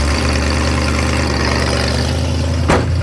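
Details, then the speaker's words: Roadkill Maverick after fixing vacuum leaks and a missing idle mixture screw, cold start: steady deep idle with a light quick tick on top; small exhaust leak that went away once warmed up. "fire it up man that's a little bit of an exhaust leak"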